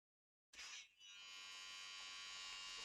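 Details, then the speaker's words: Sony MCH-M333NT Net MD mini hi-fi, MiniDisc mechanism (bought not working): steady high whirring buzz with no firm speed pickup; owner thinks MiniDisc drive belt has failed and needs replacing, slipping belt. "That's the MiniDisc, I think, making that noise. So it sounds like the MiniDisc needs the belt."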